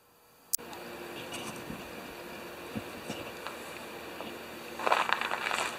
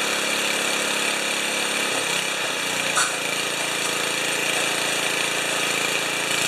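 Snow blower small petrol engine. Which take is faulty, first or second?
second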